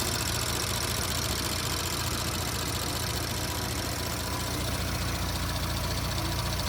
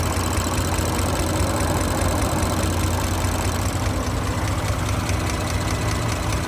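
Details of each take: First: 2017 Audi S5 B9 EA839 V6, 67,000 mi, after engine removal, rocker arm replacement, intake carbon clean, upgraded camshaft adjusters and fresh oil: smooth, even idle with steady low hum, bank-two ticking gone; healthy. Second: 2017 Audi B9 S5 EA839 V6, 67,000 miles, idling: light, uneven tapping audible on bank two from a failed rocker arm, a repeat failure; engine removed, rocker arms replaced and upgraded camshaft adjusters fitted.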